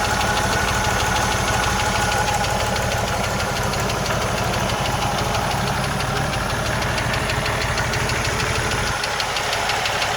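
Steady idle with a light, fast tick of about three per second riding on top; a ticking engine, source not pinned down.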